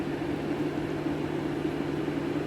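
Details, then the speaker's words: 2013 Mercedes A180 W176, M270 1.6 turbo petrol automatic, overheating after thermostat housing replacement; steady rushing roar of cooling fan over constant hum, coolant not circulating, water pump suspected: cooling fan running at high speed. "But as you can hear, my fan is going off, and that's because the car is starting to overheat, and that coolant is just not circulating."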